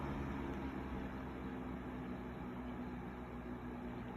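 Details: 2004 Duracraft 10-inch 2-speed box fan, old and dusty, on low speed with wind in the background: soft steady whoosh and low even hum with no knocks or scraping. Running normally.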